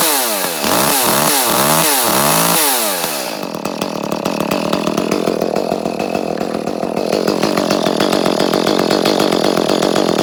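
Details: Echo CS-310 chainsaw, about six or seven years old, after a new spark plug cured top-end cutting out; a few sharp revs, then a strong even buzz holding speed in a cut; runs healthy.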